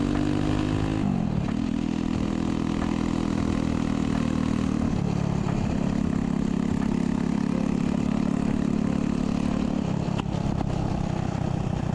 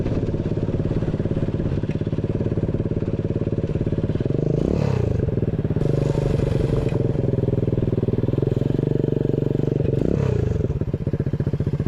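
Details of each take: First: Loud, raw, blatty single-cylinder drone with rising and falling revs from a 125cc 4-speed engine in a chopper build; exhaust pipe had to be cut short to clear the kick start, making it far too loud. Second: Chopper-style build with new 125cc 4-speed kick-start engine, new exhaust: small single chugs steadily with even firing, picks up cleanly on throttle blips and drops back smoothly; runs healthy.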